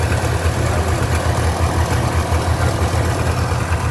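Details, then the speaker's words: Subaru 360 two-stroke van, warm, after idle backed off following flooding, while adjusting the sensitive mixture control: steady low burble at idle, slight unevenness, no misses or knocks; idling properly. "so we've got a pretty good idle going on now"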